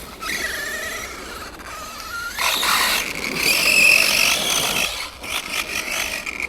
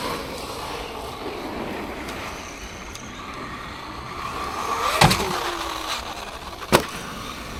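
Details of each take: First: Arrma Granite 3S BLX RC car with aftermarket centre diff, centre shaft eaten by grit: high squeal rising and falling with the motor, gritty rasping over it. Drivetrain squeal; car won't roll free, owner suspects grit in the centre diff. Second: Traxxas Maxx V2 RC car, VXL6S ESC on 4S batteries, stock motor, driven over icy rough ground at about -5°C: smooth tyre hiss with a couple of sharp knocks, no whine or gear clatter, much quieter than the Granite. Normal drivetrain.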